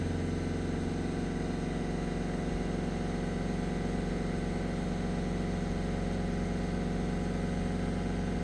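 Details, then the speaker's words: Peugeot 1.6 HDi (BHY) diesel after thermostat housing replacement for P2669/P2670 no-start: radiator fan (relay 2) cuts in at about 90 degrees, steady even whir over smooth idle, no wobble, rubbing or ticking; normal operation, no overheating. "So the fan's turned on to cool the water in the radiator."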